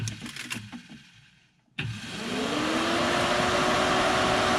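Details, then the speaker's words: 2004 Arctic Cat 500 TBX ATV that overheated: a clunk, then a smooth whir climbing to steady as the radiator fan spins freely once a wedged stick is removed; the stick had stopped the fan and blown the fuse. "There's our fan. So I've got a little broken fan guard here now from that stick. But that stick wedged in there while we were riding and caused the fan to stop turning."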